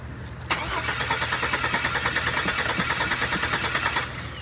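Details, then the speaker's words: Chevy project truck: starter cranks at about three beats a second for several seconds but engine never fires; fuel pump not heard running, thought to be because a fuel pump part was left out so pump didn't turn on. "does the fuel line even turn on yeah i don't hear jack [ __ ] because that's how you can at least hear it no i don't think it was moving"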